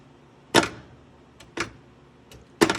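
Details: Star Trek: The Next Generation pinball machine, being checked for a buzzing fault: three crisp, sharp clacks about a second apart with clean silence between, no buzz or vibration; the sling solenoid fires normally.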